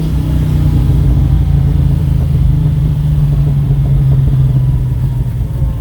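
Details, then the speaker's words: 1969 Pontiac GTO, freshly rebuilt V8 with new Tremec transmission, after exhaust-leak repair: deep, clean, steady rumble under throttle, no puffing or ticking, slight gurgling; exhaust now sealed. "i took it up to 4000 rpm uh i'll see if i got on video or not but there's still a little bit of backflowering but it it's that awesome verbal gurgling burgling so this sounds awesome"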